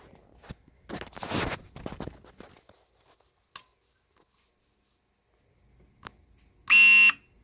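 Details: Nikon D90 showing Err: pressing the shutter gives a harsh, steady half-second buzz and the mirror does not move, though the mirror is not stuck. The shutter or mirror mechanism is stalling, cause unknown.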